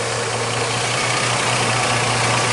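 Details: 2006 Jeep Liberty idling after a torque converter change: smooth, even idle with a steady low hum and no whine; the transmission sounds healthy and quiet.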